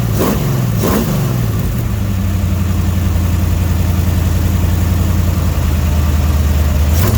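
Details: Dodge 318 V8, budget rebuild, reinstalled after a broken flex plate was replaced and cam and lifters inspected; oil pressure 60 psi, temperature 175–180°F: a deep, steady burble holds evenly between two clean throttle blips; smooth and healthy.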